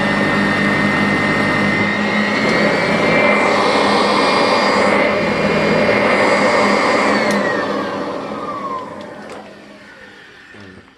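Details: Sanitaire Wide Track II vacuum after reassembly and greasing: loud steady motor roar with even high whine, no rattles or surging, then winding down; normal running.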